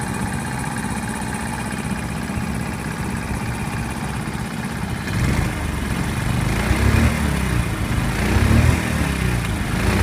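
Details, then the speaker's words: Small horizontal Honda single (C50/70/90 Super Cub type) just after valve adjustment, cold started: small puttering idle that picks up slightly, no valve tapping, valves sound quiet; normal cold idle. "they sound pretty quiet I'm happy with this"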